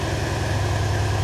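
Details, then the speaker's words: Mercedes C63 AMG with swapped replacement engine, first cold start after cams and adjusters reassembled; revs drop to a steady raised cold idle, even low rumble, no ticking or timing-chain rattle, check engine light off, no codes. "Oh, there we go. Now it's dropped the revs. Now they're no longer red."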